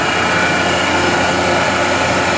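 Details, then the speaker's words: Gardner Denver Electra Screw EBE99K rotary screw compressor, 24,873 hours, freshly serviced with new fluids and filters, building pressure while warming up, side covers off: steady even rush of air with constant high tones, no knocks or rattles; normal running. "The unit just comes right along. No irregular noises. The unit is in good overall condition."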